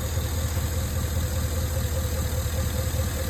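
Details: 2011 Cadillac Escalade 6.2L V8 with AFM, 178k miles, formerly lifter tick on cylinder 4, after Marvel Mystery Oil, Sea Foam, AFM disabler and freeway pulls: steady even V8 idle, low rumble, no distinct ticking; sounds healthy now.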